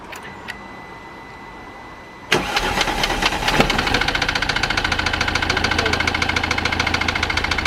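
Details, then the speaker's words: Mercedes W204 diesel engine, flood-damaged, seized, then freed with lubricant: after cranking it runs very rough with a loud, uneven clatter and a knock about three times a second; injectors suspected of needing resealing. "so we've got it running but it sounds like an absolute bag of spanners but the objective was was to unseize the engine and we managed that and we've got it running"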